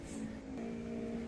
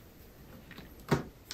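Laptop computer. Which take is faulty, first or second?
first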